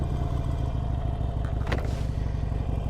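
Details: 2022 Harley-Davidson Iron 883, about 1,600 miles, started with the start button: deep, loping rumble catches and settles into a steady uneven V-twin beat; starts cleanly and runs healthy.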